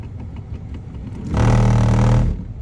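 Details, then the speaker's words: 2016 Toyota Sienna LE A/C blower motor. When switched on, a low hum runs about a second, then cuts out abruptly and gets stuck. The owner believes the fan blade is broken and replaced the assembly. "That's noise. And then stop. This is what happened. If it's like that, meaning um the pan blade is broken."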